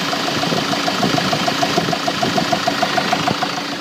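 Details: Mk7 Ford Transit diesel at idle: sharp regular knock about three times a second clearly over the idle, steady and even in rhythm; engine knock.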